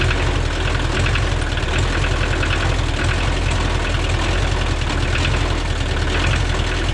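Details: Free Kubota L285 compact tractor diesel after new glow plugs, oil change and new 800CCA battery: strong even chug at steady idle, no misses or knocks; runs great and starts right up.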